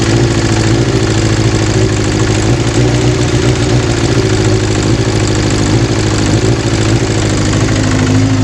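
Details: Kawasaki GPz 400 after its hard-start problem from an overflowing carburetor was solved. Even, steady idle with a smooth low beat and no stumbling or hunting; the engine sounds healthy.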